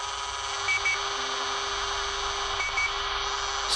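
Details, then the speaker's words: Soviet Sokol-4 multiband portable radio during alignment, with a signal generator at 145 kHz loosely coupled to the antenna: a steady mid-pitched tone holds clean over light hiss. The test signal is received at the low end of the long wave band. "Yes, we are on lower band, and this would be our lower end of our lower band."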